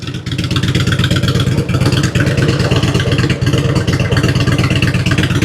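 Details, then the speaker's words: 2006 Harley Road King Twin Cam after cam chain tensioner and inner cam bearing replacement, new battery, 13.9 V at idle: steady, even lopey idle with no lifter, pushrod or valve tick; slight front vibration, maybe a front motor mount. "Running nice and smooth. See if we got charging. 13.9 at idle."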